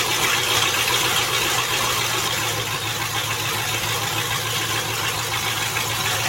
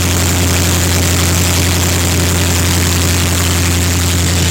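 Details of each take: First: Land Rover Discovery idling after transmission reinstall: loud raspy hiss and chuff over steady idle, no knock; exhaust blowing where the pipe is open after the catalytic converters were cut off, owner plans to patch it. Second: Land Rover Discovery just after a replacement transmission was installed (the old one was ruined by flat towing): the engine settles after a restart into a steady, even run with a deep low rumble and no knocks or squeals.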